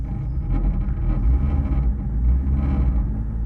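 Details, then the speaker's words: BMW E30 Touring with an M44B19 swap on an ethanol map, cold start at 20°C: deep, uneven idle that swells and fades about every second, with an audible vibration that stops once driving a bit; the cause is not yet identified. "Mais c'est là que tu vois qu'une carto éthanol est bien faite. Et on entend direct que ça vibre."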